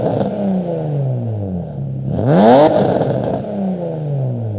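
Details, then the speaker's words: Infiniti G35/Nissan 350Z VQ35DE after replacing the bad idler pulley: revs cleanly and settles back to a quiet idle with no whine on acceleration; belt drive healthy. "engine is sounding really nice and silent we have some nice idles going on and some nice revs as well"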